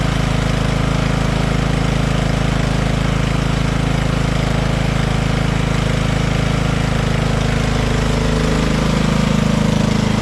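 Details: Poulan PXT12538 lawn tractor started after heavy rain, with the fuel shutoff reopened, gas added and oil checked, gives a steady, even single-cylinder thump of about 200 a minute with no knocks or misses; nothing wrong with the tractor.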